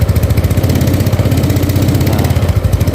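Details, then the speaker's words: Yamaha Mio Sporty carburetor scooter, pushed in, with oil primed and spark plug already changed: idles normally but chugs, stumbles and won't rev when throttled, dying if forced; carburetor and valve clearance to be checked. "seperti ini suaranya. Nggak mau digas ya. Nah seperti ini sedikit-sedikit kita gas agak kencengan mau, tapi kalau kita teruskan dia nggak mau ya."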